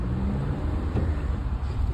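Steady low road and wind roar while driving, with no scraping or grinding on top, so it sounds healthy.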